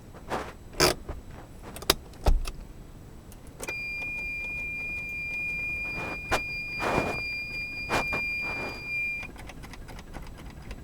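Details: Geo Metro three-cylinder on weak jumper packs, 65°F: scattered key clicks and jangling under a steady warning chime, no cranking at all; owner fears a bad starter, says winter key-clicking eventually got it cranking.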